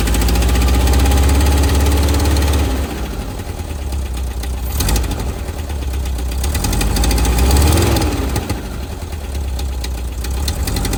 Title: Type 4 engine knock